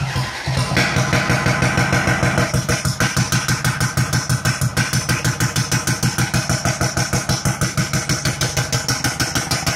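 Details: Kia Sportage 2.0 CRDi diesel: heavy sharp knocking about three per second at rough idle, unchanged when injectors are disabled one by one, hose removed; serious internal knock, cause not found.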